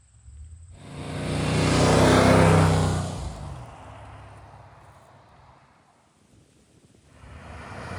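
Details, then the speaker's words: 1979 Ford Bronco V8 after a restart from sitting: it swells to a strong, even roar for about two seconds, then fades smoothly, with no misses or knocks. "it still rips and it's smaller than the motor home"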